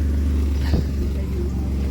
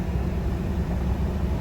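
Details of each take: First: Ford F150 with misfire codes on cylinders 3–6 and O2 sensor fault P0130, started with the O2 sensor removed: it catches after a couple of seconds, then runs loud, deep and uneven with a pulsing beat; rough running. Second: 2015 Ford F-150 after replacing bank 1 sensor 1 O2 sensor, following P0130 code, rough idle and misfires on cylinders 3–6: steady, even low rumble while driving, no stumble, miss or knock; no check engine light.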